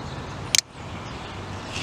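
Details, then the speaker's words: Bench demo of a light bulb circuit: a jumper wire to ground creates a dead short, the bulb goes out and the circuit breaker trips with two crisp clicks. "so our light bulb went out our circuit breaker you can hear it click"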